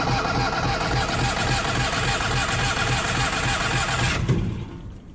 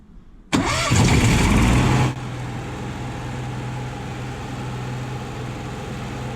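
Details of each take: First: Onan 5500 RV generator cranks with a steady rhythmic churn for about four seconds after a roughly 30-second prime, never catches, then falls silent. It had been running intermittently and then dying, and no fuel pump sound is heard when priming; owner suspects the electric fuel pump, unconfirmed. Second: Onan 5500 RV generator after replacing the electric fuel pump (Cummins A047N929) and fuel filter; it had been dying after running intermittently; brief cranking after 30 seconds of priming, catches cleanly and holds a steady even hum, running 40 minutes without sputtering.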